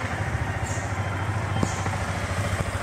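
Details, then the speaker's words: 2019 Yamaha Vixion R after major service replacing the failed camshaft bearing (6906) that made the engine sound rough: steady, even idle putter with no ticking or knocking; engine now normal. "dan hasilnya normal seperti biasa. Alhamdulillah. Oke, sekarang motor sudah selesai."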